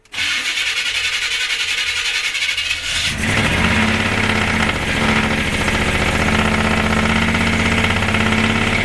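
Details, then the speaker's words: 1976 C30 dually with 454 V8, just fitted with Holley Sniper EFI and HyperSpark, not yet learning: catches and runs loud and uneven with a ragged rasp; rough running, cause unclear. "okay it didn't like that that was very loud too"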